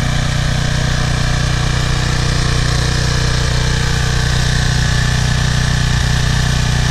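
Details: PowerFlow Plus Technology pressure washer with a Briggs & Stratton 190cc 8.75 engine, idle over a year, now runs with a loud even drone at a firing beat of about three per second with no surging or misses. The carburetor's clogged bowl jet, oil and dried gas were cleaned; it runs properly.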